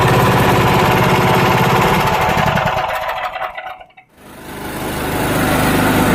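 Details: Honda GX240 petrol stationary engine that died suddenly after sitting unused for days, running after service. Loud, even single-cylinder chatter at about 3.5 beats a second, dies away then restarts cleanly; running normally.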